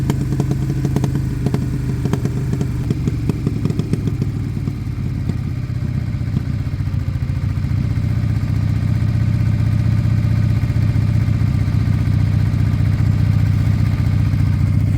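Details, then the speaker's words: Suzuki Bandit with Blue Flame exhaust, warming about 7 minutes with slight smoke: twin idle beats rough and uneven, then settles steadier; idle speed hunting, cause not confirmed. "although it's heating up oh we might have got idle fluctuation there look at that after talking about it we got"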